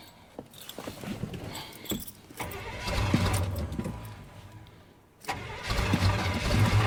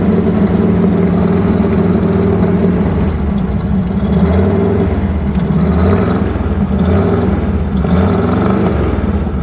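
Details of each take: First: Chevrolet Suburban (rings said to be shot) after its wiring was reconnected: the key clicks, then long even starter cranking that never catches. Crank, no start; the owner plans new battery terminals and another look at the distributor. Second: Cold V8 truck with worn rings and a choppy cam, idling after misfire fix: deep, loud, slightly choppy idle, steady with no stumbles, firing on all eight cylinders though running rich and burning oil. Normal idle.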